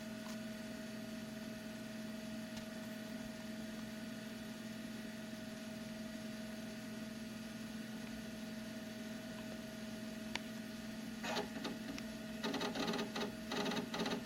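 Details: Macintosh SE restarted after a graceful crash running System 6.0.8: quiet steady hum with faint whine, then soft seek chatter as the hard drive spins up and does a quick disk check normally.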